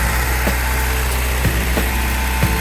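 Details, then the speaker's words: 1980 Toyota pickup 22R engine, first start after a full rebuild with .040 pistons: steady, even low idle with a smooth beat and no knocks or misses. It runs well and is responsive, though the throttle isn't returning. "Runs really good. Very responsive."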